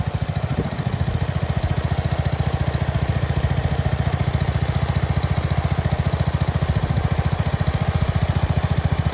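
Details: Red 1962 Bolens Ride-a-matic tractor started with a bit of choke after restoration work: a crisp, even single-cylinder beat at about three and a half per second, steady and unbroken, running very well.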